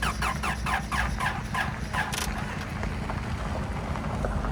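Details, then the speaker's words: Honda Civic or Toyota Camry bought cheap, tiny battery, first start attempt after adding oil: slow, labored cranking with even beats about three per second fading out, never catches; crank no start, weak battery suspected. "That was a no dice. Grab the booster."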